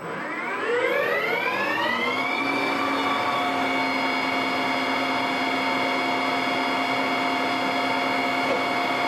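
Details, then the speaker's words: Precision Matthews 1440TL metal lathe taking a 200 thou cut after hex removed; motor whine climbs then holds steady as the tool bites, lathe working a little more without strain; normal heavy cut, listening to judge depth of cut. "We'll go ahead and take 200 off this time. You'll hear the lathe work a little bit more. And that's what you're listening for with your own machine to help you determine what's a good depth of cut that you're going to be able to take."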